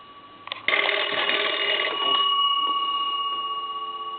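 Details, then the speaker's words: Cracraft Leich wood wall crank telephone after repair of bell wiring and inside circuits, ring cycle test: bright fast bell clatter ringing out cleanly and decaying evenly; normal ringer bells. "i'm going to go ahead and ring the telephone that gives you an idea of what it sounds like on the ring cycle"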